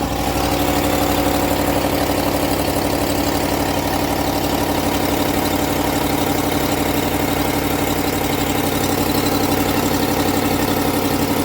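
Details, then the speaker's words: 2019-on Ram 1500 5.7 Hemi V8 at idle; sharp rapid ticking about four a second following the firing over a deep V8 hum, the so-called Hemi tick that fades once warm: cracked exhaust manifold, fixed by replacing both manifolds. "this video is for those who own a 2019 on Ram 1500 with a 5.7 and have one of the so-called Hemi ticks this is what it sounds like"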